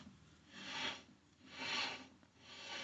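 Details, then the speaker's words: 1997 Chevy Camaro RS front driver-side rotor, rusty and turned by hand: a scraping rasp all the way around that sticks in spots, linked to a knock that goes away when braking. Owner suspects a warped rotor. "it definitely seems like there's parts that stick more than others the whole thing grinds"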